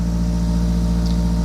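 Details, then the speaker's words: Honda Prelude project car idling while warming up: a steady, even hum with no misses, but idle sits at about 1,100-1,200 rpm instead of 800-900. It drops eventually but stays high; owner suspects it is just warming up. "You know, I mean, we might have a little bit of a high idle though. But that could be just because it's getting warm."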